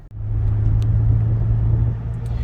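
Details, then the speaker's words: 2013 Toyota Highlander previously making a whoa-whoa sound at 45 mph, test drive from a standstill through 45 to about 60 mph: smooth, steady road rumble with no rhythmic wobble; noise gone. "all right so from a dead take off we're about 40 45 yeah 45 I still don't hear the noise"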